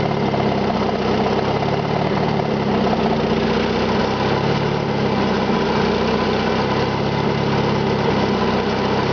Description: listen for the knocking sound to come and go